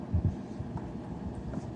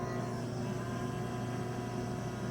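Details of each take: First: E-bike charger whose fan squeals when cold, previously greased with lithium grease, now re-oiled with 3-in-1 oil; plugged in to the battery it gives only a soft, steady low hum with no squeal or scrape, the fan spinning freely and quietly. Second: E-bike charger cooling fan, previously greased with lithium grease and seizing again: steady hum with a thin constant whine from the dry bearing, squealing when cold; being re-oiled with 3-in-1 oil.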